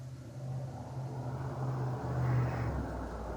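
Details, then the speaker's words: 2013 Dodge Attitude (Hyundai) in gear: low engine rumble that stumbles unevenly as the intermittent misfire returns; coils had already been swapped and the misfire had appeared on all cylinders. "ahí empezó a fallar el carro vamos a ver si no no falló"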